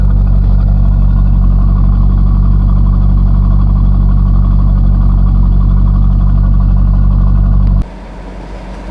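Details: 1998 Corvette C5, first start after harmonic balancer replacement; engine hadn't been running, warming up: steady even deep drone at raised revs, no knocks or misses, then drops off sharply; normal revving.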